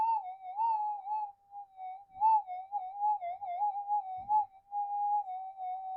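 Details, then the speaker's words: Minelab GPZ 7000 metal detector reported as noisy, tested in a workshop after its scan: a steady mid-pitched threshold tone wobbles and drifts upward instead of holding flat; possibly electrical interference nearby. "That that wandering and up pitching. That doesn't sound right, does it?"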